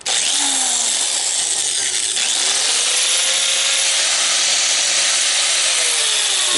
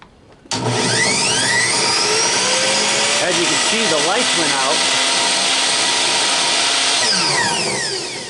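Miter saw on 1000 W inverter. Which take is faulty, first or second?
second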